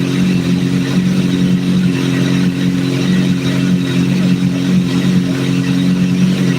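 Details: Hot engine idling during a vacuum sync, after adjusting number 3 until it is as good as it's going to get: a steady, even hum without dips, hunting or stumbles; it sounds healthy and balanced.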